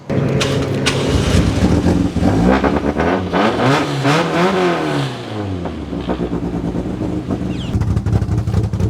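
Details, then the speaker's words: Toyota 4E-FE bottom end with ported 5E-FE head, Ivan Tighe 292 cams, ITBs, E85, lightened flywheel: choppy, loping idle with throttle blips; very lumpy from the aggressive cams, almost no vacuum so the brakes barely work. "So yeah, she's lumpy as. At idle, there's literally next to no vacuum, so when you try and push the brakes don't even work."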